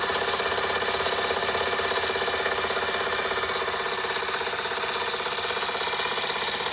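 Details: Fleischmann 135/2 steam engine running after repairs, burner trouble sorted: quick, even chuffing near two beats a second under a steady hiss of steam; it runs smoothly and healthy.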